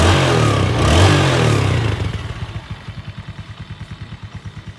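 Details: Yamaha Sirius 110 Fi at about 26,000 km (title says 260,000) after full engine rebuild with new clutch and thicker clutch plates; blip of revs then a steady, even putt-putt, no knock or rattle: healthy idle after repair.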